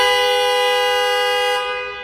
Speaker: Horn works, so we're good there.